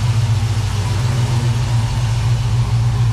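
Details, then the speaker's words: 1969 Camaro after AC system replacement, started in the garage (raining outside): deep, steady V8 idle with an even low pulse and no knocks or ticks; running healthy, normal idle. "all right well it's raining outside right now so I'm Not Gonna Take It Outside but but she runs good of course she should"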